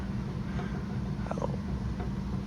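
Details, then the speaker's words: American Standard indoor AC unit running during maintenance: steady blower hum with soft irregular pitter-patter and pops from the PVC riser of a dry condensate drain trap. "The pitter-patter's coming from this drain line. It's actually kind of uh coming from the top of that PVC pipe right there, that riser. See you got that trap in that gap. That sounds just popping and snapping."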